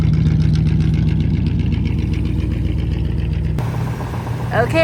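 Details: 1959 Cadillac V8 that sat for years, warm after earlier runs: low even burble settled down from fast idle, steady firing with no knocks or misses; healthy warm idle.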